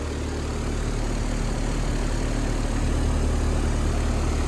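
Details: ICP Carrier heat pump on a no-cooling call after TXV replacement, running about 15 minutes with no refrigerant added, subcooling climbing toward the 12 target. Steady deep compressor drone with even fan hiss and no knocks; runs smoothly.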